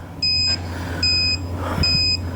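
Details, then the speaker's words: Electronic torque wrench on a 2019 Ford Escape front wheel hub bearing, tightening in 90-degree angle mode: three sharp, high beep bursts about every 0.8 s over a low hum warn that torque exceeded 110% of maximum. "maximum torque of 110%. Turn off, stop. Stop it. I get it."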